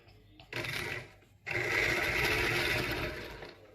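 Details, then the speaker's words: Singer 201P sewing machine, dirty, neglected and just cleaned underneath, run briefly: harsh, rattly mechanical whirr with no clean hum; rough noisy running, likely needing oil in the head. "sounds terrible in the heads sounds terrible in here let trying it's little hot out it just sounds awful I think it needs a fair bit of oil in here"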